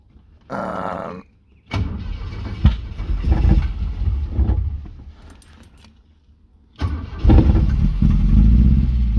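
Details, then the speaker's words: 1970 Opel GT: engine catches and idles with uneven lumpy beat, misfire from one dead cylinder with no spark despite spark reaching the plug after swapping plugs and leads. "proper sounds like there's a misfire so we investigated it and we found that there's no spark on this one"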